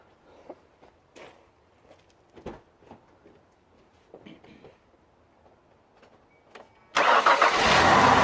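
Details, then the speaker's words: 2001 Ford Escape 3.0 V6 Duratec after replacing idle air control valve for intermittent rough idle: quiet clicks, cranks, catches and settles into steady, even idle with no stumble or hunting; problem solved. "There we go, guys. Problem solved. Idle's like it should now."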